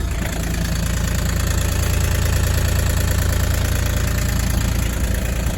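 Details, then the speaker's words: Bobcat UV34XL diesel UTV, about two years old, at idle: steady diesel idle with a quick, fairly even rattle about three per second from the seat hinges, front and rear; seat hinge rattle. "See if you can hear quite a bit of rattling from these seat uh hinges. Um, and this rear one as well at idle."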